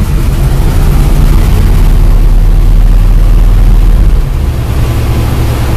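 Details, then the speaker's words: Carbureted car about 5 hours after cleaning its carburetor with starting fluid, engine ice cold: a deep, fairly steady low rumble with a slight lope, holding idle on its own. It sounds better than before and idles fine. "sounds better look at that look at that it's it's still ice cold and it's idle and fine"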